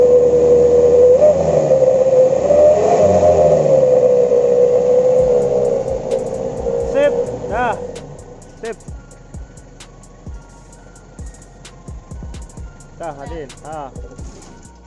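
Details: Mitsubishi L300 pickup wolf-whistle exhaust, after its funnel diameter was changed and the funnel shortened: a clear mid-range whistle rises and falls with each throttle blip. The whistle now works.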